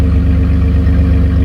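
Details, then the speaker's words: 2007 Dodge Ram 1500, 3.7L V6, at idle near the tailpipe after a new Walker muffler and tailpipe: smooth, deep, steady hum with no rasp, rattle or puffing; sounds like the healthy stock system. "But it sounds good. It sounds about like it did when it was factory. Some people said this muffler was a little louder."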